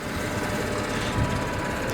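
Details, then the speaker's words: BMW 535i N54, warmer day: a light, quick tick and loose rattle over a steady engine with no deep knock, just injector tick and stock turbo wastegate rattle; an earlier cold-weather knock was put down to oil too thick. "and as you can hear the only thing that you hear now is the injectors and the world famous stock turbo wastegate rattle"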